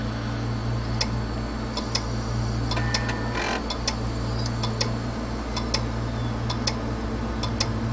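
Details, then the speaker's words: 80 GB Western Digital hard drive reported clicking, powered up on the bench. Sharp, steady clicks about once a second over a low hum, spinning down and back up. Tested as a bad set of read/write heads, needing a head swap. "you hear that steady clicking and what these drives will typically do is they'll power down they'll spin down just a little bit after a few clicks and spin back up and start clicking again"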